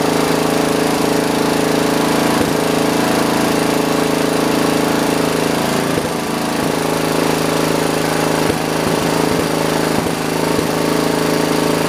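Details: John Deere 112 round fender tractor with a Kohler K181 single-cylinder and a new carburetor: a low, steady chug with a few stumbles during governor adjustment that never picks up. The engine won't throttle up.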